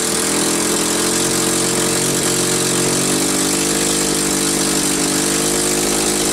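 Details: Cat D4C dozer's small petrol motor on a cold start after sitting a year holds a steady, even buzzing idle with no misses or knocks; running fine.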